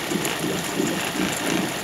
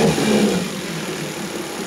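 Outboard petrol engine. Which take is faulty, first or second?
first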